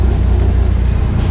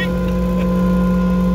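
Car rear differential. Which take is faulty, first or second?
second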